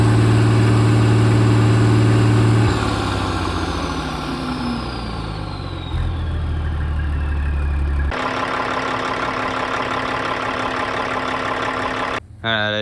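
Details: Caterpillar 3406E diesel in a D350E Series 2 haul truck front section, 18,676 hours, warming up: steady even beat holding pitch across speed changes, no knock or miss, good oil pressure, no bad blow-by; normal diesel idle.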